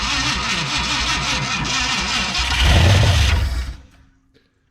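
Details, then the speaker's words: 1969/1971 Ford F100 truck, first start after years abandoned; cranks, catches, runs ragged about three seconds, surges, then cuts dead, losing fire; cause not confirmed, carburetor to be checked next: starts then stalls. "same thing cuts off with a so we're losing our fire"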